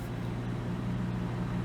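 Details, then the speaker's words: 1988 Toyota Corolla idling after partially rebuilt carburetor and new sensor wiring fitted: smooth, steady low hum with even firing, no ticks or knocks; normal idle. "it's running real good."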